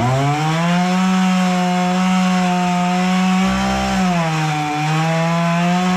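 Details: Husqvarna 236 chainsaw after carburetor service and adjustment for stalling at idle, cutting wood: steady high-revving two-stroke drone that sags briefly under load in the cut, then recovers cleanly; normal running under cutting load.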